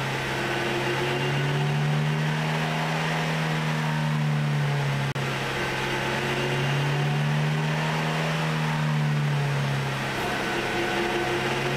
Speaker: Listen carefully to the whining noise on acceleration. The noise you are hearing is coming from the differential drive pinion bearings.